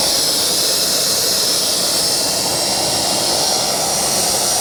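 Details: KJ-66 model jet turbine on homemade test bench after service: steady, even high-pitched rushing hiss with no surging, pulsing or scratching; runs cleanly.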